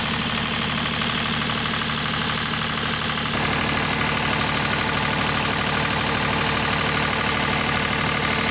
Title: স্মুথ রানিং ডিজেল জেনারেটর | Engine Sound. Test#GeneratorRunning #DieselGenerator #PowerBackup